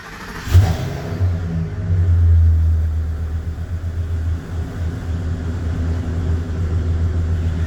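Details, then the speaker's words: 2007 Ford F350 with 6.8 Triton V10, no check engine light (only brake light code), started for cylinder contribution test: quick crank then deep, lumpy idle stumbling unevenly; misfiring, cause not yet confirmed. "I've got a 07 F350 with Triton V10. Just come across this yesterday and it has a problem. No check engine lights or nothing, but it has got a horrible mess to it."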